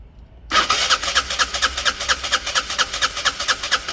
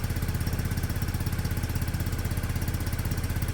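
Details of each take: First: Peugeot Satelis barn-find scooter with immobiliser fault, wiring being bridged to bypass immo box; fast even starter chugging several seconds, no firing; immobiliser cutting spark and fuel. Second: Peugeot Satelis barn-find scooter just started after immobiliser fix, cold on automatic choke, doesn't want to rev yet; steady fast putter about 160 beats a minute, even, no knocks; normal cold idle on choke.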